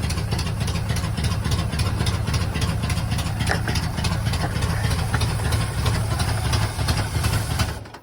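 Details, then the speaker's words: 1980 Chevy K30 small-block 350 after new relocated starter solenoid, choke unhooked: cold V8 chugs at low, uneven loping idle held by hand-worked manual choke, then dies. "Did it die? Yeah, well, it's still pulling fuel. Yeah. Go ahead. Go again. Got manual choke action. Manual choke."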